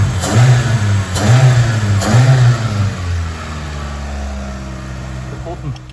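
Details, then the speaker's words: 1993 Mitsubishi Lancer MR MIVEC, first start in over 15 years, jump-started from a van with no battery fitted. It fires cleanly, revs up and settles smoothly with an even beat and no knocks or misses. The engine sounds healthy. "first click of the key don't even have a battery so I have it connected to my van here but as you can hear this running sounds beautiful"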